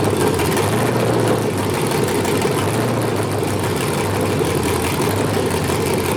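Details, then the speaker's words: 5.3L LS truck engine with a cable throttle, run by MegaSquirt 2 while tuning the stepper idle air control: a steady idle that hangs at a raised speed and doesn't come down as expected. This is a high idle. "didn't really come down to where i thought it would let me bring this back down to four seconds"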